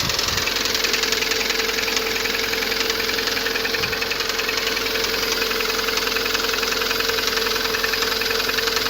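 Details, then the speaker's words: Lada Priora 2170 engine at idle with a sharp regular knock about three and a half per second; engine doesn't burn oil, hydraulic lifters already replaced without effect; owner suspects camshafts, possibly pistons, unconfirmed. "сейчас покажу вам как в принципе она стучит масло при этом мотор не жрёт Думаю уже слышно вот он затих"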